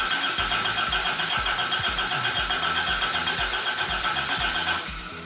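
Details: Toyota AE86 with new coil, igniter, battery and fresh fuel: starter spins the engine evenly and fairly briskly for nearly five seconds but never catches; crank no start while spark and fuel delivery to the rail are checked.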